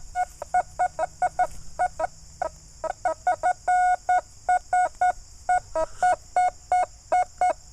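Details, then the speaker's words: Metal detector (Fors Core, iron mask set to 35) reads high 80s, sometimes dropping to the 50s, with sharp mid-pitch beeps, some doubled, on each sweep; an odd signal that turned out to be a thin aluminum tag. "It's like in the high 80s, but it's a strange signal. I don't know. It's pretty clear right there. I'm getting a double beep sometimes."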